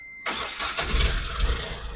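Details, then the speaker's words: Ashok Leyland Bada Dost LS diesel with complaints of noise and poor pickup, no warning lights: runs rough with a sharp, hissy chuffing tick over the clatter, like a misfire. Mechanic suspects a failed injector washer leaking combustion gas. "But ஆனா injector noise மாதிரி வந்துட்டு இருக்கு.ஃபயரிங் ஆகாத மாதிரி. பாத்தீங்கன்னா ஒரே sound."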